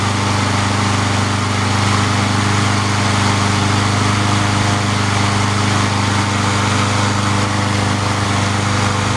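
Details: Free junk mower small single-cylinder engine, cold start about an hour after last run following a repair, catching and settling into a steady, even fast idle with no misses or knocks.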